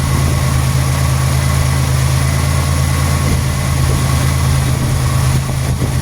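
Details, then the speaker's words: 1991 Buick LeSabre petrol engine during a code 41 diagnosis, idling smoothly after work; engine speed drifts slightly up and down as the computer runs its systems test, completely normal. "You might hear the idle change up and down a little bit. That's the computer doing its systems test. Completely and totally normal."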